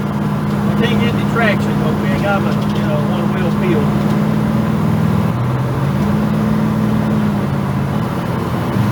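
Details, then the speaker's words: V8 truck cruising at light part throttle: steady, even drone holding pitch, one smooth step down in revs, no misfire or stumble; normal running under load. "it feels better under part throttle used to I'd have to be in the gas quite a bit and I thought that was hot so I'm barely in it now we're cruising pretty good"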